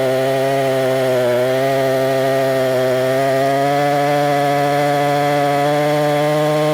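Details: Husqvarna 262XP chainsaw, already tuned up, cutting wood: strong steady two-stroke howl holding pitch, dipping only slightly as the bar bites; normal running under cutting load.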